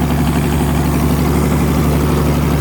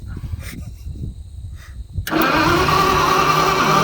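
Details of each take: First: It always ran good. It is run good. If only had a seat, we could go for a ride. Oh my God, it's living at idle. It's perfect. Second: Old Motowlift forklift with propane-converted flathead Ford, distributor cap and rotor just checked: steady rapid cranking about four turns a second, never firing; cranks but won't start, cause unconfirmed.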